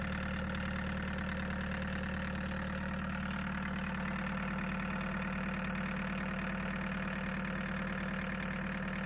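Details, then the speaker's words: 1989 Chevy S10 pickup swapped to a 1.6L VW diesel, idling steadily after fuel lines were purged of air; light regular metallic rattle about twice a second from a loose bracket near the pump, not causing the leak. "The pump looks fine and I do have a rattle coming from this loose bracket, but that's not causing the leak."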